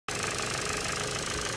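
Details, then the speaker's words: 2011 Ford Focus Mk3 1.6 petrol at idle before a service and lifter treatment: fast, even, light ticking over the idle, described as diesel-like; suspected noisy valve lifters; engine ticking. "rather noisy 1.6 uh title engine felt like a diesel but i've been informed that might just be um the uh valve lifters catholics so i've got some treatment for that we'll try and uh quiet that down"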